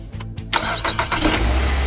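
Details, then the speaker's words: Car that would not start despite a replaced throttle valve and checked spark plugs and ignition coils, after the repair: short crank, then it catches at once and settles into a steady, even run; starts cleanly. "success again the power is very strong the problem has been completely solved"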